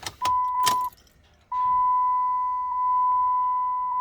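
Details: 2009 Dodge 2500 6.7 after a no-power, no-start TIPM fault, with connections cleaned: keys jingle, then a steady high door-open chime pauses briefly and continues evenly; warning now working properly.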